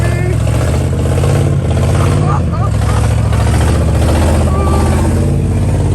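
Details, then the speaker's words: 1969 Chevrolet Caprice 427 V8 with 4-speed, sitting since 1988, first running on fuel from a gas can: loud, deep, uneven lumpy beat with wavering speed; runs roughly, stuck lifter suspected. "whoa doesn't run very well but it runs oh how to lifters stuck or something"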